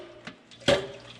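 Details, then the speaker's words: Craftsman oilless air compressor stored over a year in an unheated space with a clogged drain valve: a short liquid slosh and splash as the tank is tipped. Condensation water is trapped inside the tank. "so you can still hear all that water in there"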